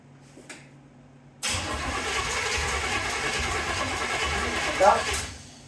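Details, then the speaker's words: 1931 Ford Model A coupe: near silence, then it catches, runs roughly about four seconds and dies; starts then stalls, owner suspects choke or an unfound vacuum leak. "hey it started and it ran I mean it started and it ran um you know and then it did its Clyde signature move dying right away but I mean that could be some of the choke and there still could be a vacuum leak that we haven't found"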